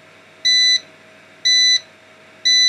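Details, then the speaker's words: Old 240 V UPS running on a 12 V car battery with a 500 W load after mains switched off, battery at 11.3 V, output dropped to 227 V: shrill third-second beep repeating once a second; on-battery warning beep before mains restored and recharge at 1 A. "okay hush stop your incessant beeping and as soon as you turn off no as soon as you reapply ac power it starts charging the battery again with the one amp of charging current"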